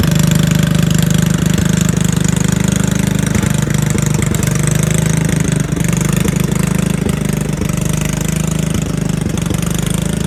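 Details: Riding mower/tractor single-cylinder engine, run on a jumper pack after a dead 9-volt battery: low, uneven, stumbling thumping at about three to four beats a second; it hesitates, slows and dies after a few seconds; connecting rod not blown, cause unknown.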